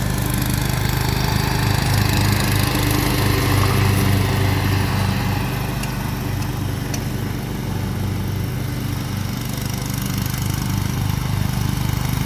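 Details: Kawasaki engine after swapping in a 401v ignition coil taken off a John Deere walk-behind mower parts motor (mower was smoking from the flywheel, no start); steady, even single-cylinder putter, no misfires, runs normally after repair.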